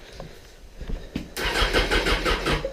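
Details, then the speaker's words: Slow, laboured starter turns on a Honda CBR600 F4 before it catches into an even idle; cranking sounds sluggish. Battery reads low despite earlier charging; owner suspects a bad stator draining it, unconfirmed. "I'm wondering if that's why they had this headlight unhooked as well because the battery is going dead I'm guessing the stators bad who knows"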